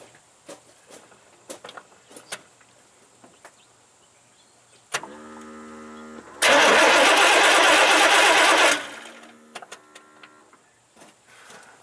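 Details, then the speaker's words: 1988 Chevy truck 5.0 V8 with 104,000 miles that died on the road, cranking evenly but never firing; spark tester shows no spark. Crank no-start, no spark from a bypass ignition system, pointing to the pickup coil or ignition module. "didn't see anything so at this point it's a crank no start no spark so being a no spark situation that dramatically Narrows down the possibilities here"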